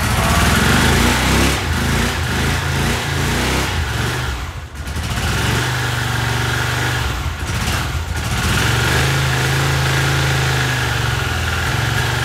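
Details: 1982 Honda CX500 twin, neglected for years, carbs cleaned and bench-synced with a welding rod: loud, uneven idle sagging and stumbling twice nearly to a stall before picking up; carb idle problem suspected, cause unknown.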